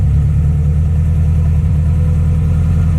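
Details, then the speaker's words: Subaru STI idling right after fixing an AVCS fault and resetting the ECU to clear the check engine code; first start expected to be a little rough while ECU relearns. Loud, deep, steady idle with even beat, no hunting or misses; AVCS readings at 0. "So the first initial startup is always going to be a little bit rough, but after that the car should learn itself again."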